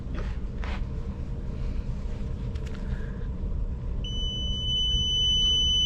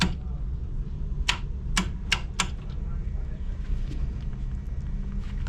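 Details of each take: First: Commercial fan coil unit not heating or cooling, fan not running: against a low background hum, a meter gives a steady two-second continuity beep across the fuse, showing it is good; all three fuses good. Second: Repeated relay-like clicking inside the panel of a York 4-pipe fan coil unit (not heating or cooling, fan not running): sharp, dry clicks about half a second apart over a steady hum. The tech suspects a loose connection, and the clicking stopped after handling the wiring.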